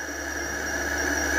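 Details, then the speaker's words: Mototec 48V Pro with Fardriver ND72300 controller, chain disconnected, testing for partial-throttle judder: steady high electric motor whine at full throttle, no stutter or surging; motor spins smoothly. "I don't know that sounded pretty smooth to me"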